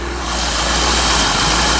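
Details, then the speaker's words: 1985 C4 Corvette running after a no-start, no-power fault traced to the negative battery cable not contacting the battery properly; smooth, even V8 idle with steady low hum, no misses, ticks or knocks; battery charging, oil pressure and rpm good. "running battery's charging oil pressure is good rpms are good unbelievable"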